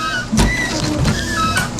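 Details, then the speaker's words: 1968 Pontiac LeMans with intermittent wipers that often wouldn't move. A short motor whir with a soft thump at each sweep end, about every 0.7 seconds, now turning on, off and parking. Normal wiper operation; owner thinks a fuse was the issue. "Turn the windshield wiper on. Turns on. Turns off. That was my issue."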